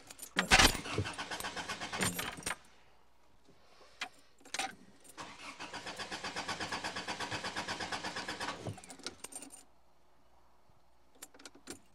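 Starter spins the engine in even chugging bursts for several seconds, but it never catches or fires: cranks, no start.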